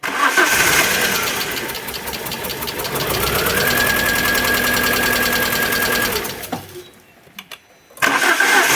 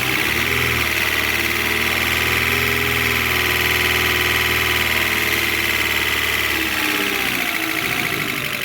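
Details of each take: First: Alfa Romeo 147 Twin Spark that arrived by tow truck with misfires, very rough idle and hard starting: uneven starter cranking, about three pulses a second, with one weak stroke; low compression in one cylinder suspected, not confirmed. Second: Alfa Romeo 147 Twin Spark, towed in for misfires, rough idle and hard starting, after new valve seals and timing belt work: steady, even petrol idle with a light constant top-end whirr, no stumbles; normal idle.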